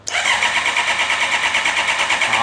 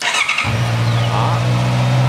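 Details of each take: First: Honda CB650R that will not start, cranking while scan tool shows fuel pump control ON: fast even starter whirr that never catches; cranks but no start, ECU commands pump yet pump not running, pump faulty. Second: Honda CB650R that would not start, fuel pump found faulty: quick crank catches at once and settles into a steady, even idle with no misses or hunting; it now starts normally.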